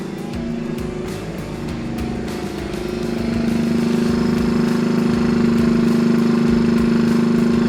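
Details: 1964 Honda Super Cub CA102 first run after full top-end rebuild, throttle held open slightly: little single putters with a quick, even beat, revs lifting then holding steady; smooth, healthy fast idle, no tapping. Throttle cable questionable.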